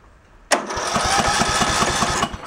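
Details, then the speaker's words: Early-2000s Craftsman LT1000 lawn tractor that overheated, with no compression and a bad, arcing spark plug: the starter churns about six even thumps a second for under two seconds without firing. Owner suspects fuel starvation from a gummed carb. Cranks, no start. "so I'm going to say is probably starving for fuel and the carbs all gunky crappy"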